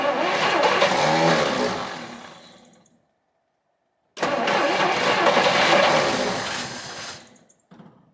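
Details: 1959 Studebaker Lark, 259 V8, sitting 36 years. After cracked spark plug wires were replaced, two long cranking bursts with an even chug near three per second fade without catching. Owner suspects the plugs, not confirmed.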